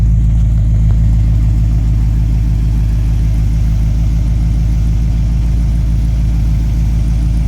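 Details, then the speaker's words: Base 1974 Corvette C3 L48 V8 after installing new Corvette Central Magnaflow exhaust: deep even rumble with smooth steady beat, no rattles, ticks or leaks; healthy exhaust. "so that's it it's all installed and here is the final sound after the magnaflow exhaust is installed"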